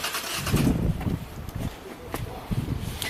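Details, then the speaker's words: 2022 Kia K5 under 10k miles, after collision repair, stranded as a crank no-start with no trouble codes; with a battery charger attached the starter churns in uneven bursts but the engine never catches, and there is no spark. "oh yeah now it's cranking good what do we see no spark okay so we have a direction"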